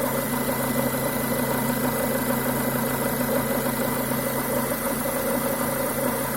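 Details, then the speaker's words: Renault Duster 2.0 petrol at idle: wet gurgling, croaking flutter about twice a second from the left side of the engine; faulty crankcase ventilation (PCV) valve, replaced. "Это бульканье, кваканье, кукареканье, кто его как только не называет. Звучит он почему-то именно с левой стороны от двигателя."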